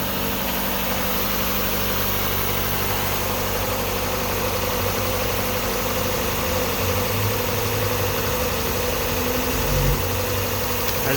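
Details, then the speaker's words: 1996 Mazda Miata 1.8 on cold start: steady, even fast idle with no misses or knocks, smooth cold-start hum, no blowback; occasional lifter tick noted otherwise. Healthy and stable. "and it's as you can see it's idling high tipping it's a cold start but it's huddling very stable nice and"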